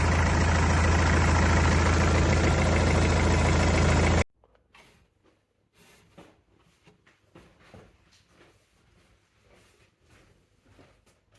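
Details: Mercedes W204 with OM651 diesel engine running with loud, busy clatter: timing chain rattle, fixed by replacing the timing chain tensioner instead of the chain; before repair.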